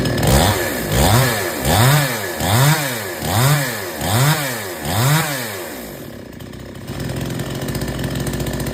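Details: Chainsaw that would not take load, after H/L screws set fully in, then out three turns. Revs rise and dip about once a second as it bites through wood, holding speed without bogging: normal cutting under load.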